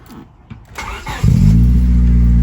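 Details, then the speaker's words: Honda Civic EK fitted with Type R lip and headlights, first startup with no catalytic converter: starter cranks briefly, engine catches and settles into a deep, steady, slightly raspy idle; not too terrible, check engine light on from missing cat. "So I'm gonna start up. We're gonna hear how it sounds with no cat."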